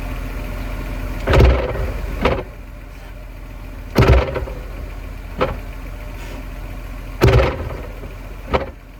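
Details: E46 BMW manual: heavy driveline clunks, each followed about a second later by a sharper knock, when in gear and quickly letting off the clutch, despite new diff and subframe bushings, driveshaft, guibo and center support bearing.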